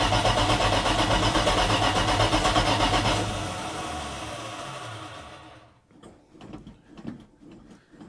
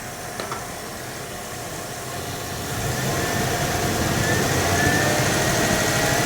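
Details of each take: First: 1980 Dodge W200, Magnum 5.9L V8 with Holley 600 cfm carburetor, cold start, choke wired open, 65 jets and 9.5 power valve; catches, revs, then sags, stumbles and coughs near stall; super rich mixture from oversized jets. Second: 1980 Dodge W200 Magnum 5.9L V8, Holley 600 cfm, idle and mixture set at about 19.5-20 in vacuum; builds smoothly louder into the secondaries with no stumble, mid-rpm bog gone, carb pulling cleanly.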